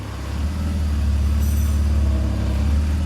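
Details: BMW E46 with M54 engine, after repair with a fixed torque converter: idle in Reverse gives an even, deep hum with no knock or clunk; the earlier foreign noise is eliminated.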